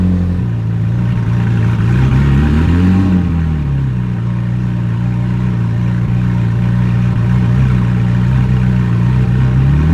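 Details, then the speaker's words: Ferrari 458 V8 started after an exhaust leak repair and a secondary air system fix, with faulty MAF sensors still awaiting replacement: it settles to a steady idle with one quick blip and no ticking or puffing, so the leak seems cured. "alrighty let's fire it up and see if we took care of that exhaust leak and got the secondary air working correctly"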